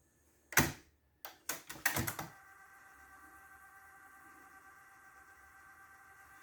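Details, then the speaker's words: Technics RS-TR212 cassette deck after replacing a broken plastic gear: button clicks then a faint even hum, clicking noise gone, mechanism nice and quiet. "Okay so the piece of plastic gear has been replaced with another piece of plastic gear so the clicking noise is gone nice and quiet"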